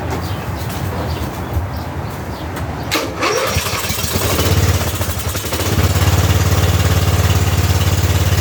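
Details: Custom-built 6x4 garden tractor/riding mower, sat since last year, battery not charged, given a little throttle: sluggish cranking about 3.5 turns a second before catching and settling to steady idle; slow cranking from weak battery.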